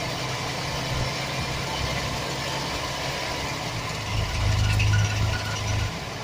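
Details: 2007 Chevy Express 1500 4.3 V6 idling: uneven metallic rattle low in the bellhousing area, swelling briefly as revs lift; bad starter motor gear rattling against the flexplate (flywheel).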